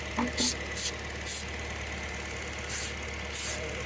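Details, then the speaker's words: 1994 Toyota Previa LE SC AllTrac after head gasket replacement and new OEM fuel injectors, chasing intermittent P0171 lean code: smooth steady idle around 800 rpm, faint even injector tick, no hunting; running well, fuel trims 5.5 and -2. "nothing that's great news all right she's running pretty good"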